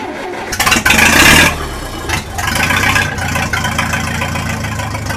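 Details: 1966 U302 Super after earlier rebuild issues were corrected: it cranks, catches with a loud blip, then settles into a steady, even, loud open-pipe idle, a normal healthy start.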